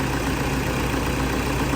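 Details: Toyota Vigo diesel after engine overhaul following damage from being run without oil after an oil change: steady even idle with smooth low rumble, no knocks or misses; healthy.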